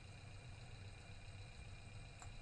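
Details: Electric power steering module bench-tested on EPS tester with scanner, 12 V supply, steering turned: steady low hum with faint constant high whine, no grinding or clicking; normal running.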